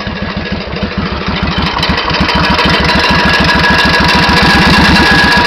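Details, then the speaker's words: 1991 Suzuki VS1400 Intruder V-twin, true mileage unknown: sharp metallic hammer-like tapping over the idle, louder on one side, quickening as revs climb; engine knock, source unknown. "Alors c'est un peu moins flagrant sur ce côté-ci, mais de l'autre côté on entend très bien une espèce de bruit métallique, comme si on tapait au marteau, et au fur et à mesure de la montée en régime, le bruit accélère."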